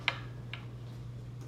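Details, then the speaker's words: 2003 Fender Highway One Precision Bass being set up: fret rocker tapping gives light rattle clicks, revealing a slightly high 11th fret. "you shouldn't hear any tapping and you can hear that you might be able to hear a little rattle there"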